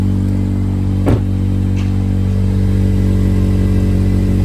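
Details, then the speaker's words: 2007-2011 Honda CR-V: strong low engine rumble with coarse flatulent pulsing in exhaust note; exhaust leak from rotted-through aftermarket resonator. "Yeah, car's farting at me. That is unacceptable. We're gonna go take care of that right now."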